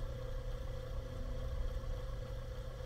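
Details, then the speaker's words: 24v 5.9 Cummins (2nd gen) with new Airdog 100 GPH, 17 psi lift pump replacing factory Carter pump, cycling before start: faint, steady hum, much quieter than the Carter; pump priming normally. "it is sitting there running it is so much more quiet than that factory style Carter pump"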